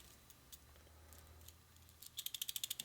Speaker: Make sure the rollers are nice and free. You hear them rattle around in there, nice and free. That's what you're after.